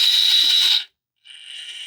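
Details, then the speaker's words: Hobby Plus Terranaut 8x8 RC crawler with a brushless Hobbywing Mini16 motor and alloy transmission case, driving: a loud, piercing high-pitched motor/gear whine that cuts out briefly and returns. The owner finds the Mini16 noisy in another truck too and plans to recheck the gear mesh. "One of the reasons I don't like the Mini 16 is this noise."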